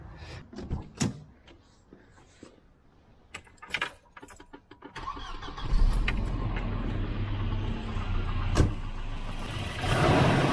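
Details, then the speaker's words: Volvo 240 with B230F redblock engine, after a replacement distributor was fitted to cure pinging: clicks, then the engine catches and runs with an even, steady beat and no pinging; normal running. "i'm so happy now she's running good without any ping"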